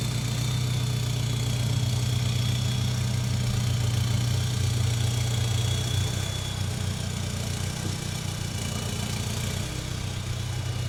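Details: Volkswagen Jetta Wagon diesel idling during testing of a newly installed full exhaust: deep, steady, even low rumble with no knocks, misses or rattles. Normal idle.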